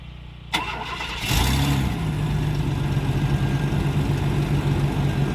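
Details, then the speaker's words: 1995 Chevrolet Blazer after a repair: a quick crank catches within a second, then settles into a steady, even idle with no knocking or stumbling. It didn't like being given gas. Normal start and idle. "sounds like normal yeah didn't like putting gas it didn't like putting"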